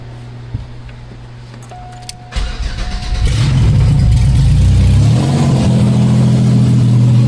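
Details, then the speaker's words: 1994 Cavalier 5-speed, built 3400 V6 with strip cam, started with an oil pressure transducer on a lab scope: starter whirs, then a loud steady deep rumble through the open exhaust dumping down, no knocks or ticks; healthy. "This is awesome, guys. It runs. Sounds amazing. It's just really loud. Once I get the exhaust hooked up and it's not like dumping straight down."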